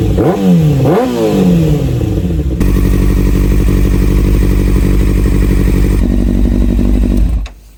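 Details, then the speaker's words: Salvage-rebuilt Kawasaki Ninja ZX6R four-cylinder running for the first time in months, warmed to 98°C with the fan on. A couple of crisp blips, then a strong, even run and clean shutdown; it runs excellently. "as you can see the motorcycle ran for the very first time in months and it's ran excellent there's no complaints over there"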